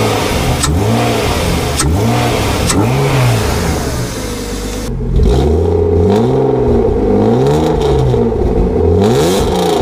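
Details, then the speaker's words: BMW 325i E36 with a freshly rebuilt M50B25 six, rebuilt to recover lost compression, with a new custom exhaust, after the cooling system was bled. Loud exhaust blips rise and fall smoothly with zero engine ticking or clatter. It runs healthy but is very loud. "voilà vous l'avez entendu ça réveille un peu les morts ça fait beaucoup de bruit quand même mais pour une utilisation occasionnelle c'est bien"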